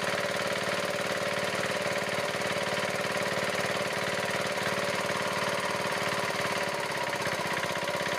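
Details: Diesel engine at steady, even idle with a regular chug, no chuffing or ticking, after the loose rocker-set adjusting nut was reset; the earlier puffing sound through the air cleaner is gone, and it now runs sweetly.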